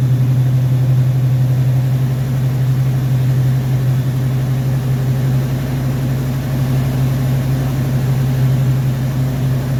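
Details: Rebuilt Rochester Quadrajet 7029202 from a 1969 Corvette (ethanol-damaged fuel bowl cleaned up), first start after rebuild: deep, steady V8 idle, even low drone with no misses or stumbles; normal idle, judged ready to roll.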